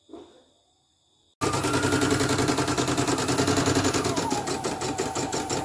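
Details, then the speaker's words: CNY E900 embroidery machine with heavy rotation and hissing, dynamo below, after cleaning: fast, uneven, snatchy clatter near 3.5 beats a second; new dynamo is stiff but steady, technician suspects thread caught in the rotary hook causing jerky binding. "Dinamo tetap baru memang seret sih. Tapi seret dinamonya seret stabil. Memang seret. Tapi ada lain yang bikin mampet lebih kejeluk-kejeluknya gitu."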